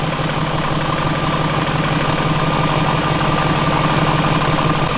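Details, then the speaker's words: BMW E39 540i, built 3/2000, 280,000 km, 4.4 L V8 with 286 hp: smooth, even idle with a steady low rumble and no knocks, ticks or misses; engine sounds healthy; normal idle. "eure Motor hört sich gut an"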